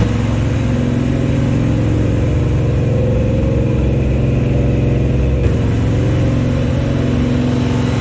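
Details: First start of the new Chevy 350 V8 in a 1974 Chevy Nova: a loud, even high-idle drone at constant speed with no knock or miss during cam break-in. Normal. Oil squirted from the valve covers because no PCV valve or breather was fitted.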